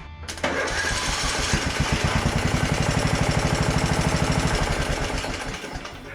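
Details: Craftsman DLT3000 42-inch lawn tractor, hard to start: even starter cranking about three beats a second for several seconds without firing; jumping the solenoid works, so the ignition key switch is faulty.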